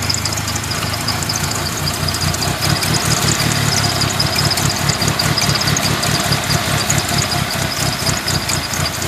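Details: 1997 Eclipse RS petrol engine idles roughly, its low thrum pulsing and stumbling; the owner says it overheats when sitting still but runs fine when driven, cause unknown.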